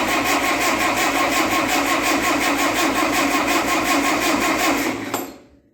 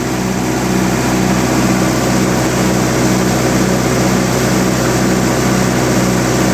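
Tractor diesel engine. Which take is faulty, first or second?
first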